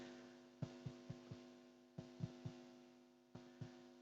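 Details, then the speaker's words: Philips Model 166 valve radio, chassis refitted, switched on: steady low hum with a few soft thumps as the valves warm up, slow to warm but sounding normal. "this little baby takes a while to warm up but that sounds normal"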